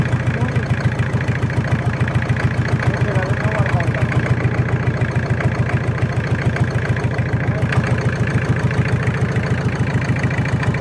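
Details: Toyota 7K engine at idle: steady even tick about three or four per second holding constant; abnormal engine noise, source not pinned down.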